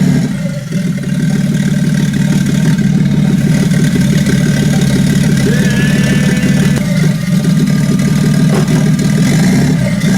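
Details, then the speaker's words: Toyota 2JZ-GTE VVTi six in a Nissan S14 drift build, first start after wiring: loud steady low rumble at fast idle, even firing, no knocks or ticks; brief smoke at start from pressure-wash water in turbos, then cleared; runs healthy. "so yeah as you guys see the engine runs pretty good um you know smoked a little little bit you know it first started up and then went away"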